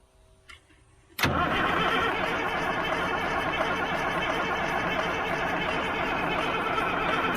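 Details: Old 6x6 army truck being cranked while the injector lines are watched, after fuel system work: a long, steady crank of about three and a half turns a second, dragging toward the end, that never catches; cause suspected, not confirmed.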